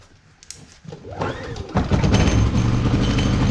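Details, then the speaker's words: Predator 3500W inverter generator, new, filled with 10W30 oil, economy switch off, switched to start: quick pull catches at once and picks up to a smooth, steady hum; healthy first start. "Then the next thing, this step is to turn it to start. And then push the starter or pull the start. And then wait for the output light."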